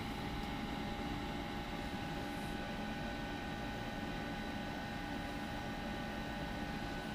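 Steady low hum with a faint fixed tone on top, even and unchanging throughout; the condensing unit is running smoothly.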